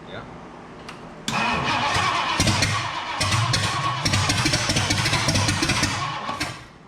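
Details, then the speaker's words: 1962 Mercury V8, gas poured into carburetor: starter churns, engine catches in ragged uneven bursts for a few seconds and dies; fuel pump not pulling fuel, pickup hose found at top of tank, fuel starvation. "The most we've heard this. The fuel pump's still not pulling fuel though."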